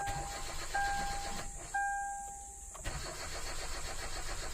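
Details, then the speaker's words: Hyundai Accent automatic, around 2011–2013, steady starter cranking that never catches, chime tones over it, RPM gauge rising; crank-no-start traced to a crankshaft position sensor circuit fault. "cranking lang siya ayaw tumuloy Ayun oh ayaw tumuloy pero umaangat na yun yung RPM"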